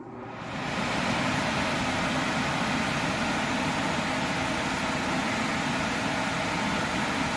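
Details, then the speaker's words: Air conditioning system running after the blown fuse on the furnace control board was replaced, with 26.8 V measured on the control circuit. The blower gives a steady, even rush of air, with the condensing unit humming and refrigerant bubbling, a normal smooth run. "here the system is running the blower motor kicked on I do hear the refrigerant bubbling over"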